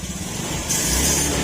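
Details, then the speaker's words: Honda Beat FI scooter with hard starting that starts then stalls: engine revs unevenly, stumbling and popping as the throttle opens, a sign of lacking spark or fuel. "Toos pumuputok-putok pa. Pag pumuputok-putok yan mga senyales ng ah kulang sa kuryente, kulang sa gas ganon"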